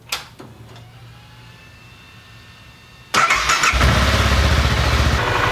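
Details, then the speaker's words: 2014 BMW G 650 GS single-cylinder during oil change, run until hot: quiet idle, then a steady rushing whoosh as the radiator fan kicks on, showing the engine is up to operating temperature. "Once it's hot, and you know that when the fans kick on, when you hear the fans, you know it's up to temperature."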